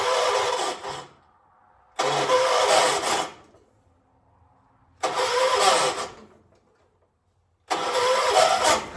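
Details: 1976 John Deere 300, cranked using a jumper pack: four separate one-second cranking bursts with silence between, no catch or firing; hard starting.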